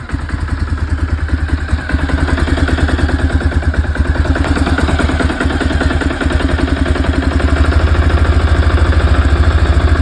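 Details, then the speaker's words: Quad single-cylinder engine, still cold, after loosening the idle screw while adjusting the carb: quick, even putter about two hundred beats a minute holding steady, a settled idle. "sounds good like that but it is still cold so"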